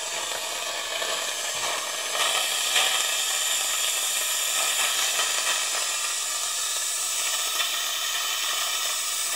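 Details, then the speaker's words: 2013 Mitsubishi Fuso FG; 3D-printed venturi eductor on about 20 PSI air sucking excess oil from the cylinders, injectors out; steady airy hiss with slight gurgle, like dentist suction; sucking properly. "So, it's definitely creating suction here, which should work. Let's see what happens if we stick it in. Kind [Music] of sounds like suction in a dentist's office."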